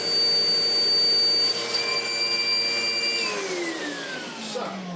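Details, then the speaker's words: Sebo X4 Pets Eco upright vacuum before service: a shrill, steady high whistle over the motor roar slides down as it spins off, blamed on a missing gasket. It still runs, probably needing a vacuum-out and new bags. Measured readings of 70 and 12.9. "And yeah, if we turn it on, it has a horrible whistle. There is a gasket that has left the chap somewhere, but she does run."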